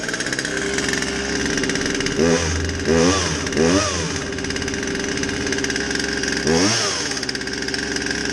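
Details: Poulan 2150 chainsaw with a won't-start complaint, after a basic tune-up with a fresh air filter: two-stroke buzzing at a steady idle, several quick throttle blips rising and falling cleanly; runs fine.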